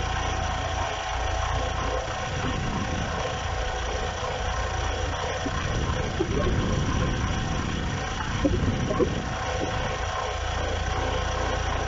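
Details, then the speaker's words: Audi 80 petrol engine idling with a constant rough scraping, rattling whirr, heard for months and persisting after an engine rebuild; the cause was the water pump, which was replaced. "В общем в моем случае это была помпа и я заменил помпу"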